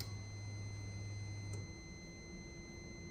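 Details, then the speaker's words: Gen 3 Chevy truck with a Gen 4 90mm drive-by-wire throttle body, 99-02 TAC module and adapter harness for a TBSS intake swap; at key-on a thin, steady high-pitched ring holds while a low hum cuts out, cause unclear. "I'm not quite sure about that ringing noise, but I heard something move."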